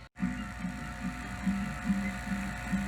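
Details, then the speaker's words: 1986 Sony SL-700 Super Beta Betamax VCR playing an old, possibly sticky tape: irregular soft mechanical pulsing about twice a second over a faint hum, as the tape tension arm oscillates and bounces, making playback wobbly. Suspected cause, not confirmed. "well that would definitely make it a little [Music] wobbly yeah that's probably what was causing it this tension arm it's oscillating"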